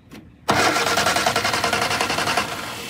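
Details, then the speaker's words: 1962 Austin Healey Sprite Mark II, long-sitting barn car, starter test after removing an extra ground strap: starter engages sharply and cranks the engine evenly for two seconds without grinding; cranking normal. "i have that groud wire removed let's check real quick make sure the starter still runs"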